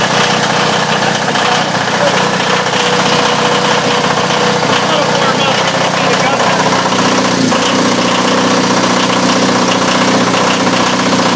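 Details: Onan DJB 6 kW diesel generator with a new muffler, cold-started in a shed at about 48°F after a 30-second intake-heater/glow-plug preheat, mic inside. Steady, even diesel clatter with a loud exhaust note and no misfires; normal cold start and warm-up idle.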